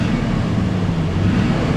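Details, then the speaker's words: 1984 Chevy C20 Silverado with an Edelbrock carburetor, after fuel system repairs, recorded in the cab after a test drive: steady, even low V8 rumble at idle with no knocks or misses; a slight stumble remains while driving and needs fine-tuning. "oh yeah listen how smooth and in the cab it is so smooth in here mhm isn't that beautiful"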